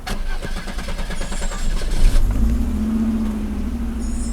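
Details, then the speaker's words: Circa-1990 Audi 90 after repairs for a broken fuel distributor and vacuum leaks: starter cranks briefly, engine settles into a steady idle with a faint whistle; idle motor working again. "Alright, start it up. The idle motor is working again."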